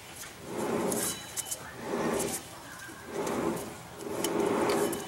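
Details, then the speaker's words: Ford Ranger left rear axle bearing, 5707 roller type with axle as inner race, about 45-50k miles, ran cool with almost no slop: smooth even rolling hiss when hand-turned, no grinding; good bearing compared with bad right side. "this is the left side Ford Ranger bearing it's ran cool and has just about no slop up and down this way so I knew this one was good I just want to do a sanity check"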